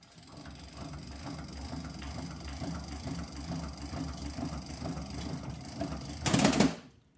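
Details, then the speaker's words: Phonograph spring motor with a loose motor board and missing motor screw nut; owner suspects a slipped spring. Fast busy whir and whine from overspeeding because the governor speed control is set too fast. "Woo, it's spinning fast. Speed control's off. You hear this? This whine? That's way too fast on the governor."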